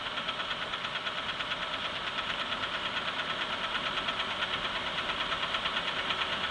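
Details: Sharp metallic tapping at about two per second, very regular over a steady-running engine: a clear knock from inside the motor, cause not confirmed.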